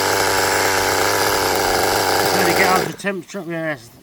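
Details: Restored 20-year-old HPI Nitro Rush Evo nitro buggy, new glow plug and fuel, first start with throttle trim raised, warming up: buzzy high-revving two-stroke drone with slightly uneven burbling beat; running a bit rich, needs fettling.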